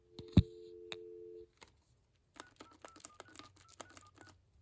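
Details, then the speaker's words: 1990 AT&T Trimline 210 thrift-store phone on its initial checkout, through a PBX line: dial tone, then short, clean two-note beeps, one per key press; all buttons working, normal DTMF keypad tones. "All the buttons seem to be working good."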